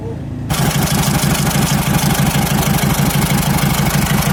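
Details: Toyota 1KD-FTV diesel previously cranking with no start: catches within half a second and settles into an even, steady idle with regular clatter; running normally.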